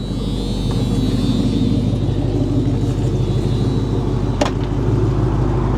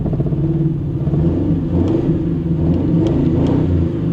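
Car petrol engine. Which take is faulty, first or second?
second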